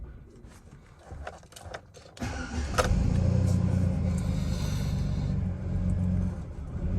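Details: Chevrolet Silverado with a nearly dead battery: labored, slow, heavy cranking at about four turns a second; slow cranking from the weak battery; very rough idle noted.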